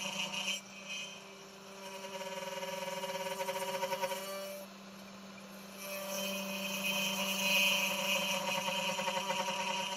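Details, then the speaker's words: Genmitsu 3030 PROVer Max desktop CNC, stock air-cooled 300W spindle milling aluminium in mini vise with progressive step-down: high steady whine with rough buzzing rattle during the cut; spindle chatter, weak spindle pushed to its limit, cut not smooth. "the sound is a bit high and you can hear some vibrations as this kind of air cooling 300 WT spindle is not that powerful but let's see how it works"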